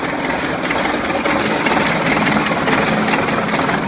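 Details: DT-75 crawler tractor diesel at steady idle, with a heavy, uneven knock hammering through the clatter from inside the engine, source not yet pinned down; engine knock.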